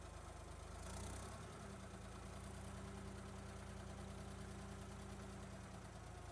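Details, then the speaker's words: 1972 Ford 3400 backhoe tractor, diesel, after restoration: steady, even low idle with a smooth regular beat, no knocks or misses; engine sounds healthy. "Got the tires back on it to see if it would drive around and make sure there was no other major components or loud knocking noises or anything of that sort. And here's what she sounds like now."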